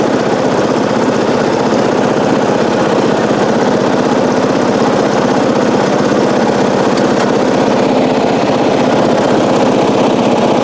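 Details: 1994 Coast to Coast riding mower with a Briggs & Stratton engine, revived after years abandoned, new spark plug, gas of unknown age: steady, even single-cylinder beat with no misses, surging or knocks; normal running, though it does not self-start without a new battery.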